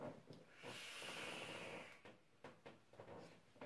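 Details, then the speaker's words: Wismec Luxotic DF 200W 18650 squonk box with Guillotine V2 RDA, 0.19 ohm Clapton coils at about 71 W: soft sizzling hiss starts instantly on pressing fire and holds steady about a second, no delay; normal coil firing. "it's instantaneous guys in five instantaneously there's like no delay there is no delay guys when you touch the fire button to win it hits"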